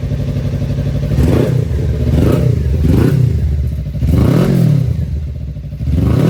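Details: 2018 Suzuki GSXR bought not running, once rat-infested, 3,67 miles shown, near-empty tank: fires up and runs cleanly with smooth even beat and crisp throttle blips, no knocks or misses; healthy engine.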